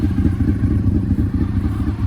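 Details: 2003 Honda VFR800 (5th gen) V4 with a Two Brothers exhaust warming at idle after 8 years of storage, about 98° and rising, water in the cooling system: steady, even deep burble with no knocks or misses; runs smoothly.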